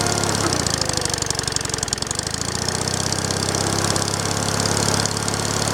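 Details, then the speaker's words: Small single-cylinder engine, the same motor as on the owner's big wheel, first start after sitting a long time, needs choke: popping idle with an uneven beat and an odd stumble breaking the rhythm. A slight misfire, cause unclear. "I'll move you back a little bit over here got a little bit of a misfire in there"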